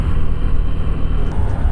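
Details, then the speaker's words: Honda Beat Deluxe scooter with aftermarket Kirian CVT kit, climbing an incline: deep, heavy, rough droning rumble with uneven throbbing, and the body vibrates. "dari suara mesin terdengar lebih ngegerung dan juga kasar kita tes ya"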